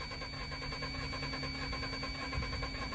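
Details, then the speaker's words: Ford Transit with a misfire, cranking in clear-flood mode with the gas pedal held down so it won't start. Fast cranking has a lopsided beat as one cylinder has no compression, a dead hole; it shakes badly when allowed to start. "that sound right there that's a dead hole we don't have compression on one cylinder"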